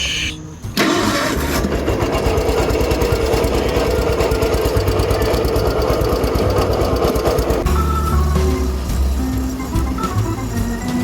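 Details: Kohler K-series single-cylinder in Simplicity Landlord garden tractor that stalled when hot, after valve adjustment and new MT51R batteries: cranks, catches and settles into a steady, even thump with music over it.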